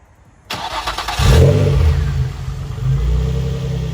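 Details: Nissan 350Z VQ35DE first start after installing a Blox 5/16 plenum spacer and intake tube: catches cleanly and settles into a smooth, steady idle with no knocks or misfires; running normally.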